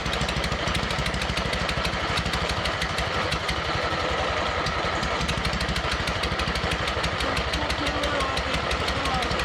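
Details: Abandoned MTD mower twin engine, new head gasket on one side, smoking oil, one cylinder barely working, crankcase breather popping: quick ragged pops about three a second, never settling into a run; timing off from a sheared flywheel key.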